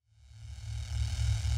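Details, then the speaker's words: Cheapest Pyle speaker amplifier, first power-up out of the box with no speakers connected: steady low mains hum with faint hiss swelling as it powers up; once speakers are connected the noise is loudly audible from about 5 feet. "I was going to turn it off of course but it's humming it's got to be a good thing right like when the head and shoulders and is tingling you know it's working when the pile amplifier is humming you know it's working"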